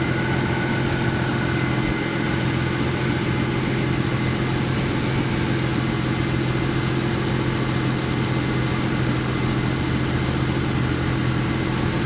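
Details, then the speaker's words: Vehicle that stalled on the roadside that morning, restarted and left warming for several minutes; coolant reservoir found full. Even, steady idle with a constant low rumble, no stumbles or surges; normal idle. "And it's running fine. It's been several minutes."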